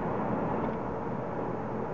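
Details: Payne high-efficiency gas furnace with no-heat fault, blower run via control board test (igniter works, no gas): steady even rush of air, no rattle, scrape or pulsing; blower motor healthy.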